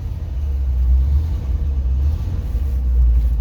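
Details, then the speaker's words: 1969 Ford F100 after a carburetor rebuild, just started cold and needing choke and gas worked together. A deep, loud, steady low rumble with a slight rise and no knocks: a cold-blooded carbureted engine idling on choke while warming. "These things are cold-blooded. Holy cow, they're cold-blooded."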